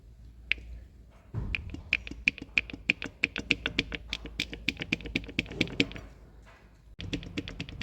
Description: Стук двухмассового маховика.Износ который накапливается со временем.